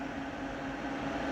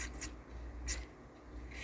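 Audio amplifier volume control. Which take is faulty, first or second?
second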